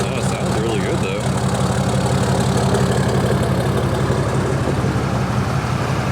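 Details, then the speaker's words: Diesel truck with a deleted 6.7 and a Flo Pro muffler on a five-inch exhaust all the way back: steady deep idle with an even light clatter about three beats a second and a loud open exhaust drone; healthy. "just want to come out here and take a look at his truck that's got deleted he has flow Pro Muffler on at five inch all the way back sounds"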